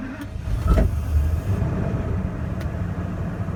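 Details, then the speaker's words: 2000 Ford F450 with crank-no-start cured by a new fuel pump (fuses, relays, sensors tested good): starter cranks briefly, engine catches and settles into a steady low rumble; starts and runs normally. "we go that was the fuel pump yeah the symptoms up was had a crank but no start"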